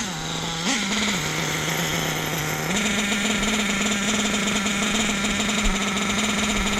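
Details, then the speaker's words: Hobao nitro RC engine being tuned: fast, steady, buzzy drone; idle set a little high, triggering the problem, and the bottom-end adjustment isn't changing the idle. "Idle's a little high. That's what's triggering that."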